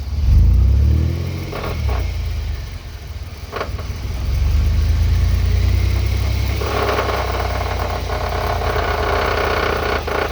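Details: Truck with shaved GM 14-bolt rear axle, transfer case rebuilt and driveshaft rebalanced: pulls under light throttle, then on let-off a rough, gritty grind rises while coasting; owner believes the axle is the source, not confirmed.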